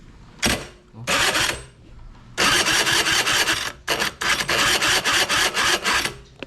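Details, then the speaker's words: Honda Dio 2 50cc AF27 two-stroke scooter, long in storage, lowered: starter cranking on a still-strong battery in several strong bursts of fast, even whirring with no slipping or grinding; starter healthy. "Dalawa na yung Dio 2 natin guys. Lakas pa nga ng starter eh. Tignan nyo."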